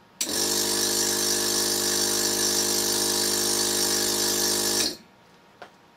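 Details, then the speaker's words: 12-volt Thomas-type vacuum pump for an electric car's power brakes, bench running; harsh loud even buzzing drone for about five seconds with no muffler fitted, reference for muffler comparisons. "let's just do some quick comparisons to see how much different fillers attenuate the sound I'll set the camera's audio automatic gain control off so the comparisons will be accurate relative to one another here is no muffler for reference"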